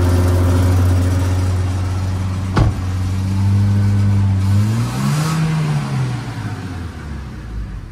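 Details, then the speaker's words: Toyota Innova revved to full throttle from high idle: revs climb then sag and bog with a stumbling "brebet" sound instead of pulling cleanly; main suspect faulty mass airflow sensor. "enggak ada kendala ini tersangka utamanya adalah airfow meternya ini airfow sensornya ini yang membaca ee udara yang yang masuk ke dalam mesin berdasarkan pedal gas yang dibuka di sana"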